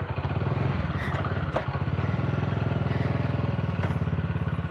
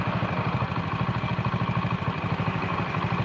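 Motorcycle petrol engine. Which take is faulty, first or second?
second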